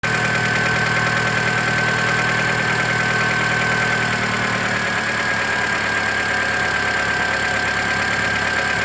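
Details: 2008 Mitsubishi Lancer at idle: a light steady tick once per engine revolution, not per cylinder firing, with a faint thin whistle, coming from the belt side of the engine; an exhaust leak was first suspected, cause unknown.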